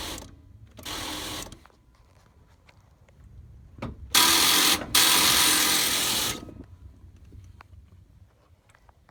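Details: 1993 Chevy Silverado 1500 with a 350 engine: two short bursts of even cranking at about four beats a second with no firing; the engine turns over but won't start.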